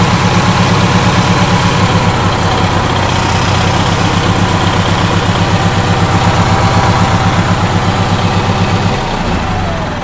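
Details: Onan twin-cylinder generator back running after a compression-loss problem was diagnosed (one cylinder's exhaust had been cold, engine shaking), carburetor still to be cleaned: steady, even beat at about four pulses a second, no misses; both cylinders firing cleanly.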